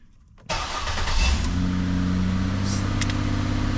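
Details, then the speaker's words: 2008 Ford Escape with a no-start/no-crank complaint: with the key held at start there is no start until the ignition switch is pushed, then a quick crank catches into a steady idle. The worn lock cylinder housing is blamed. "so I'm just going to turn the key and try to start it and you can push in and it does not start"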